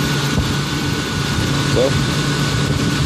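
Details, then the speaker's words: 1994 Lincoln Town Car with the 4.6 V8 running smoothly at a steady, even idle with a faint constant tone on top and no stumbles. This is after fixing a problem by replacing the bad PCM (computer); the crank sensor had also been discussed. "Let you hear it running. there it is. She's running good, man."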